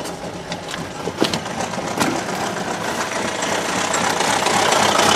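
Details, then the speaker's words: Buick Verano 2.4 L Ecotec non-turbo run deliberately with oil drained, no alternator or belt: rapid metallic knocking, about four a second, over the idle, growing louder as the engine is starved of oil and temperature rises. "not even empty yet oh my goodness this thing sounds very very unhappy but it's still running"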